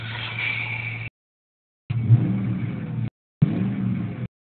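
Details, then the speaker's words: 2004 Ford Mustang GT V8 with what are believed to be four-chamber Flowmaster mufflers, warmed up after running a while in winter, heard from the cabin as it revs. A deep, throaty rumble swelling with the throttle, a normal healthy engine. "it does have a believe it's four chamber flow Masters on it so let's go on outside and see if I can get a listen to I don't know if the exhaust notes coming through"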